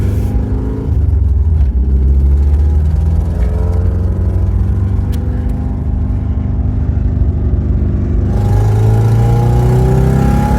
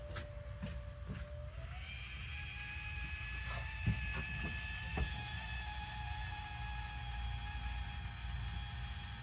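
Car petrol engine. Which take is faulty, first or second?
first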